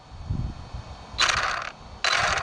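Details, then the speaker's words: Traxxas Slash 4x4 RC truck on 3S at a jump spot: two harsh half-second scraping bursts over a low rumble; gear grinding, owner suspects the front differential. "Something's not happy. Yeah, something's not happy. It almost sounds like front diff."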